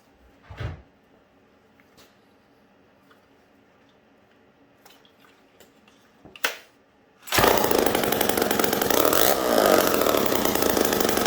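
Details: Homelite 775D chainsaw after full overhaul, including cleaned piston, Tillotson carb and points, new condenser and clutch drum: catches after a couple of pulls into a steady, high, buzzing two-stroke run with even firing.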